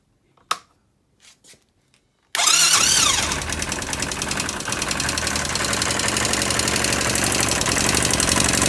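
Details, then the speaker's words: 250cc Jiangshe air-cooled ATV, started: a sharp, really loud metallic ticking of about four a second rides over the idle. There is a lot of play at the rocker arms, so the valve clearance is excessive and needs adjusting. "I'm going to start it and let you hear the sound it makes, there's some sort of kicking into the iron, a really loud sound."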